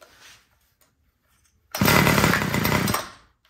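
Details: Homelite two-stroke string trimmer that wouldn't start, primed and on full choke; catches, buzzes barely a second, then sags and dies; idle screw looks correct, low-speed carburetor mixture judged too lean.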